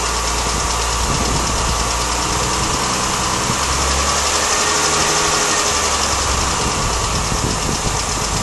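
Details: Mini Cooper S at idle: a fast, light ticking or tappety clatter, about four per second, on top of the engine. Owner thinks it comes from around the chain area, heard mainly with the engine running and from inside with the window open. Cause unknown.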